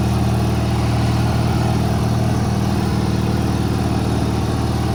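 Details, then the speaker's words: 1985 riding mower, small engine with brand-new carburetor, Seafoam added: low chugging idle about three beats a second, uneven and slightly hunting; owner suspects idle speed needs adjusting. "but it's a brand new carburetor so I think uh just needs idle speed adjusted"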